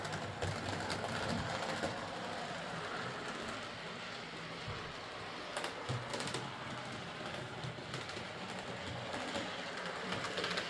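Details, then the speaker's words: Model steam locomotive, previously massively overoiled, after cleaning, cylinder and valve gear fixes, new drawbar contacts and rerouted wires: a steady, even motor whirr with light regular clatter; it runs fine. "I fitted new contacts in the draw bar, rrooed the wires a bit, and in the end it ran fine. But yeah, a very oily model."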